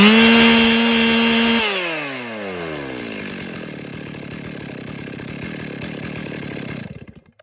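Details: Stihl MS 382 two-stroke chainsaw: steady high-pitched scream at full throttle then clean drop; apparently normal running, the slight high-rev surge is the RPM limiter.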